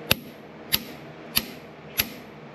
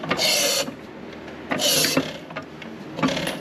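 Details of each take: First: 1933 John Deere Model E 1.5HP hit-and-miss engine, igniter out on the bench wired to a coil after sanding the contacts: five crisp, sharp snaps about 0.6 s apart, a strong regular spark, so the igniter is sparking normally. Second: 1933 John Deere Model E 1.5HP hit-and-miss engine hand-cranked: slow swishing pulls with no firm compression puff, little to no compression, with rings suspected stuck.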